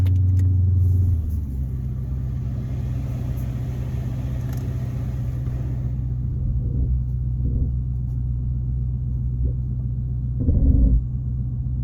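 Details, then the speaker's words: 2016 Dodge Charger at idle after transmission mount replacement, shifted in and out of gear: steady low rumble with soft thumps; earlier extra vibration now gone. Normal idle. "All right, let's crank it up and see how it's sounding. Definitely seems a little better."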